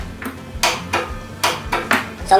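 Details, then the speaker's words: Cub Cadet RZT S 42-inch zero-turn mower, after fitting correct battery (12.4 V): rapid clicks about twice a second with no cranking; faulty starter solenoid. "is clicking but the mower motor is not turning over so let's try to figure out exactly what's going on there"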